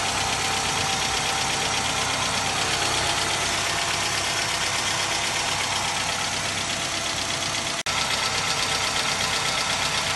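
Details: Hyundai Accent, warm engine at idle, 250,000 km: hard fairly quick rod-bearing knock. Only about 1 L of thickened oil in the pan, filter anti-drainback valve cracked after frost; knock disappeared after oil and filter change.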